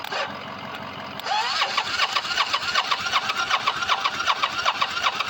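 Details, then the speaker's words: Motorcycle sitting 4 months since last run, fresh fuel added, jumped from battery: starter whirs in even rhythm about 2.5 pulses/s but never catches; starter solenoid stays engaged, owner plans new battery, solenoid and fuel pump. "Okay, never mind. I thought it was going to Oh, nah, I thought it was going to start."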